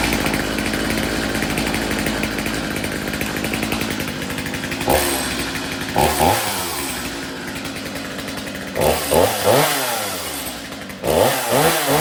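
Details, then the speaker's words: Stihl MS 250 C Easy Start chainsaw, likely flooded, after new spark plug, cleaned air filter and fresh fuel: catches and revs cleanly in repeated bursts with crisp throttle pickup and a steady high buzz, running properly. "so fresh fuel you see me start it it starts excellent it runs excellent just you got to have it in the on position to start it as you've seen there"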